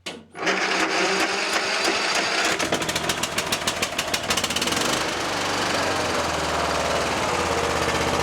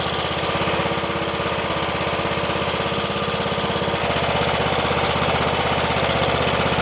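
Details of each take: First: Troy-Bilt XP Horse lawn tractor, engine swap from a parts mower, weak battery/jumper pack, carb solenoid clicking: starter cranks, engine catches with rapid popping, then fades and dies. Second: Troy-Bilt XP Horse tractor with a swapped engine, after debris sticking the carburettor float needle was removed; air filter off. Quick, regular putter holding steady speed without stumbling or surging: running properly now.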